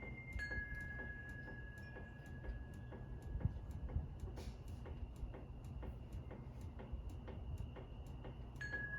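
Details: Harbor Breeze Centreville ceiling fan: a soft, steady tick about twice a second under a quiet hum and faint tone. The fan wobbles because one blade is bent up, and it still wobbles even with the mounting bracket tightened.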